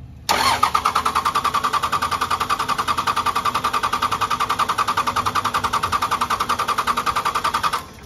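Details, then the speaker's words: Second-gen Cummins diesel after a FASS lift pump filter change, with injector lines cracked to bleed: a steady starter crank for about seven seconds and no start, because air in the fuel lines prevents starting. "take this one dry slopped everything through the system now we got air in it right so we're gonna open these up just a little bit you don't got to go all the way it's enough to get the fuel flying to them"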